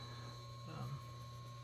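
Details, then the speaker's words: Samsung NE63B8211SS induction range with a laminated-bottom pot: steady thin whistle over a low electrical buzz, less pronounced with cast iron or carbon steel: normal induction cooktop whine and buzz. "it's there it's not as pronounced with with the cast iron or carbon steel but these laminated bottom pots it does make a noise if you're very sensitive to noises it might annoy you"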